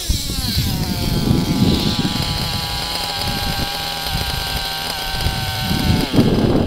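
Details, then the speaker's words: Nitro RC engine with an overly rich low-speed needle: high buzzing idle, and after each throttle blip the rpm sags and it burbles as it loads up, a two-stage idle. "the engine is loading up because it's so fat down low i'll give you an example here you can listen where the ip excuse me the idle's high and the rpms will drop"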